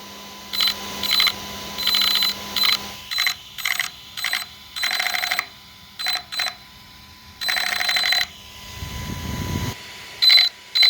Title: ARRMA 1/8 Kraton 6S BLX Brushless 4WD | Motor/ESC loud noise